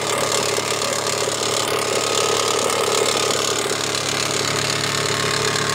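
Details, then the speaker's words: 2001 Mitsubishi Montero Limited 3.5L petrol V6 at idle: very loud, fairly quick knock over a harsh rattly engine sound, suspected from the bottom end/crankshaft area; cause not confirmed. "this it 3.5 of mitsubishi montero 2001 is a very loud noise you can hear right now"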